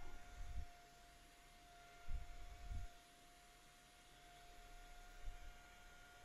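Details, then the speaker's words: Snapmaker 3D printer power supply after replacing noisy rear fan with Papst fan: soft steady airflow hum, faint constant tone, no annoying whine, quieter; normal fan running. "okay here's the papist now it's definitely not quiet i've always short this out it's not quiet but it doesn't have an annoying wine to it and it's definitely quieter"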